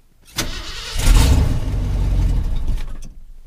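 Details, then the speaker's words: Pickup truck cranking: starter turns for a couple of seconds, engine catches briefly but never idles; crank no start, owner suspects it is out of fuel. "I think I might be out of gas actually in fact that wouldn't surprise me one iota"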